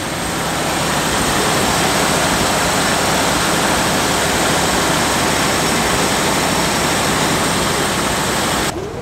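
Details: 1969 Fargo 500 dump truck with old Dodge engine: ticks over at a steady idle beneath heavy hiss, running evenly with no misses; brakes not working.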